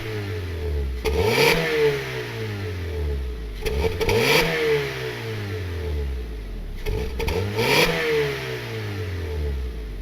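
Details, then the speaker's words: Car with an open axle-back straight-pipe muffler delete, revved four times: a raspy, puffing rattle at each peak from exhaust hissing out of a small remaining leak after one leak was fixed, then settling to idle. "but you guys can kind of hear the exhaust hissing out kind of sucks it's not a huge exhaust leak but it's farting all over the place"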